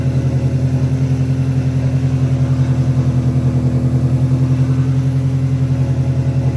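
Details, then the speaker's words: Integra after the vacuum leak repair, with carb cleaner sprayed: an even idle with a regular low pulse about three times a second and no hunting or dips. The leak no longer affects the idle. "now we're gonna spray it is no longer affecting anything"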